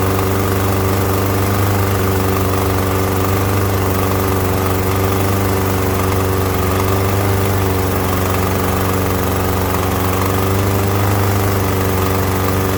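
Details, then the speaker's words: Troy-Bilt TB110 push mower (MTD) that wouldn't start, oil in air filter, started with carb cleaner and smoking: rough idle with dull knock about four per second; crankcase pressurizing, a valve not seating or head gasket suspected. "so you heard all that knocking and going on there i was thinking this was just a case of where someone had tipped it over and it wouldn't start doesn't seem to be the case"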